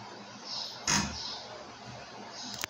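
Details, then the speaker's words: WOSON autoclave about 9 minutes into heating, near 128 °C at pressure reading 171: quiet hum, then short hissing bursts and sharp ticks a few seconds apart as the pump injects water into the chamber that flashes to steam; normal. "Vous entendez un petit bruit, pip, pip. Ça c'est les injections de vapeur, parce que la pompe, il injecte de l'eau à l'intérieur de la chambre et cette eau est chauffée pour devenir de la vapeur."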